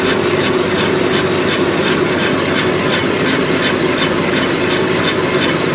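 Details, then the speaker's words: Subaru BRZ driving: a steady raspy grinding over road noise, first thought to be the differential but suspected to be a worn rear wheel bearing; brakes also scrape. "sounds like it's grinding I thought it was a differential but I don't think it is"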